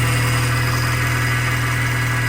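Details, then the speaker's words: 2005 Mini Cooper S at idle, before the idler pulley is replaced. Steady hum with a faint, weird metallic ring. Worn idler pulley. "kind of sounds weird a little bit metallic that's what we're going to try to get rid of"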